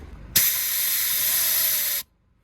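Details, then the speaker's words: Valve from a Develon excavator's hydraulic circuit, tested with an airline; steady sharp hiss as air blows straight through a normally-closed valve that should seal, internal leakage despite a rated ~400 bar. "but for whatever reason these valves just aren't up to it that other valve must have been normally closed as well and it's just can't handle the pressure"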